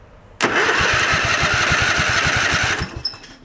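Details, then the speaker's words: Craftsman tractor engine cranked via starter with jumper pack for about two seconds, light chirp; owner suspects magnetos rubbing rust on the flywheel magnet, likely to wear off or clean with wire wheel. "sounds good little chirpy there's our chirpy the magnetos are just rubbing on some rust on the magnet"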